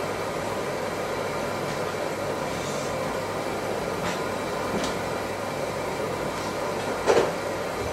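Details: IKEA RENLIG (Electrolux) IWM60 integrated washing machine with the inlet opened at full pressure: a steady, even hiss of water rushing in with no chatter or hammering, a normal healthy fill.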